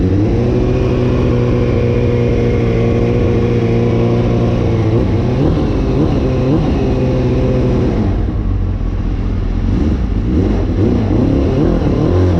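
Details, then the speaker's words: Suzuki GSX-R, a recovered stolen bike, just rewired with its fan hot-wired and running on a battery charger; a carburetor issue is suspected and the carbs still need doing. The engine blips with an uneven, lumpy note between revs: rough running. "so let's see if she will start and I think he does still have a carburetor issue"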